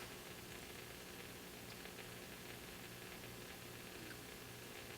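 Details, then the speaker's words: 1950 RCA 9-X-561 vacuum tube table radio with 8-inch speaker during troubleshooting, tuned to 740 AM, only one speaker lead possibly connected: faint even hiss with low hum, station barely audible; weak AM reception with static. "now tune it to our 740 comes in i'm not even using this houstontexans.com that's interesting so i'm tuned to a station you can barely hear it"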